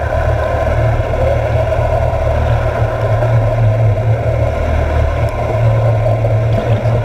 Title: Propeller in the early startings of cavitation